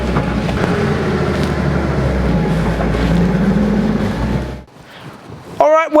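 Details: Porsche 911 flat-six after replacing the leaking fuel tank, upgrading sway bar bushings and changing filters: steady, even beat with no misses or knocks, then drops away quieter; running well.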